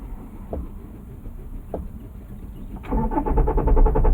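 Starter spins the engine in a quick even rhythm, about four pulses a second, but it never catches; cranks, no start.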